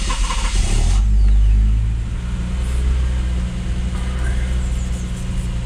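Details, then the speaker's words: Lexus IS200 turbo project, 1G-FE engine, cold after sitting overnight: it cranks a couple of seconds before catching, then settles to a steady idle; traced to a faulty fuel injector, and the owner suspects a fuel pressure issue. "See, now that's not normal. Normally it cranks over with the first spin, so we'll turn it off."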